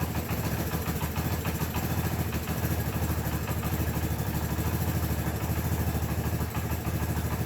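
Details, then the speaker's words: 1984 Honda ATC 200es Big Red single-cylinder at a slow even idle, about three beats a second, after valve adjustment and idle turned down; no ticking or clatter, previous noises gone, runs as it should. "actually sounds much better than it did in there um everything sounds as it should all noises are gone"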